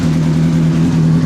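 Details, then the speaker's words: Honda CBR600RR cold start after a fuel pump replacement caused no-start, fixed by one O-ring: fires straight away and settles into a steady, even idle with no misses or knocks. Normal cold start and idle. "Absolutely amazing. One O-ring is the entire problem with this."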